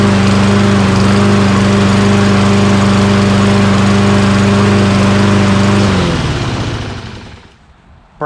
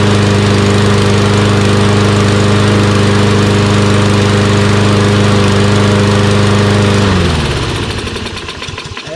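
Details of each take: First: Toro Recycler XT675 mower with Kohler engine: steady drone for six seconds, then revs sag and it dies. Fuel starvation means fuel fills the carburetor bowl too slowly, so it stalls after a bit. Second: Toro Recycler XT675 mower with Kohler engine, after replacing a collapsed fuel line: runs smoothly and evenly at a steady speed for seven seconds, then winds down as it shuts off. It now starts and runs great.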